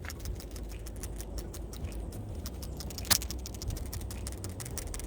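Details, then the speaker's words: New replacement PCV valve for a 2018 Subaru Legacy 2.5L, shaken by hand. Crisp, quick clicking as the check ball rattles freely: the valve works normally, unlike the clogged old one. "you can hear it's got more okay so the thing inside is working"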